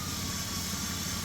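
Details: 2008 Dodge Grand Caravan, previously rough idle and misfire with multiple codes, after cleaning and repairing connectors: engine idles smooth and even, a steady low hum with no stumbles or skips. Misfire gone; code P0129 (barometric pressure) remains, MAP sensor suspected.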